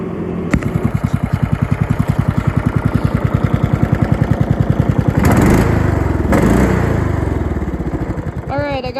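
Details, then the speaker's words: MTD Yard Machines mower with 14.5 Briggs engine, after repairs: steady even beat that picks up briefly midway; runs, drives and mows smoothly, normal running. "This should be the moment of truth here. I did a bunch of fixing on it. So, it'll come down to this right here. Oh, yeah. Like a champ."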